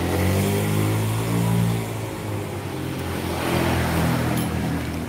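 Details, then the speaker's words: Honda Beat scooter after repair of clatter and squeal: smooth, even engine hum rising and easing with throttle, no squeal or clatter, power good; runs healthy. "Sudah ya guys, ini udah beres, suaranya udah halus, tenaganya udah oke, nggak jerit-jerit dan nggak kelotak-kelotak lagi."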